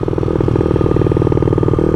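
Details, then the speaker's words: Honda CRF50 with 88cc kit, race head and manual clutch at steady idle: fast, even ticking around fourteen per second over exhaust thump; valves checked several times, owner suspects race head is simply noisier than stock. "I think the race head is just way more noisy than stock because like you can hear it ticking."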